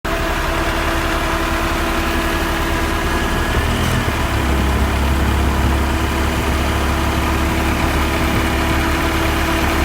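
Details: 1991 Honda Civic at idle with the A/C running after replacing a rapidly ticking Matsushita compressor; steady, even engine note, no ticking or knocking from the compressor.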